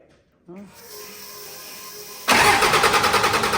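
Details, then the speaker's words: The '41 diesel cranking while the injection pump lines are cracked open to bleed air, to be closed one by one once fuel appears. The starter churns at about three beats a second and never catches; air in the pump keeps fuel from the injectors. "so what we're going to do now is I'm going to crank this thing over and then Hannah's going to come over and watch the the pump lines once they start leaking fuel at them she's going to close them up one by one and then we'll have all the air out of the pump"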